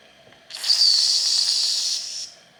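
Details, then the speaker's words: Wilesco D455 stationary steam engine, warm boiler: short sharp hiss with faint shrill edge, no full whistle note; steam whistle hiss from boiler pressure not yet built up. "Yeah, not quite enough pressure yet, but obviously it's getting there."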